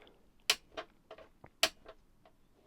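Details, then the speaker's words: Brand-new pre-production radio cassette boombox with Dolby and auto-reverse: turning the volume knob gives sharp, uneven clicks and crackles from a clunky, noisy volume pot that needs cleaning. "it's got a bit of a clunky noisy volume control"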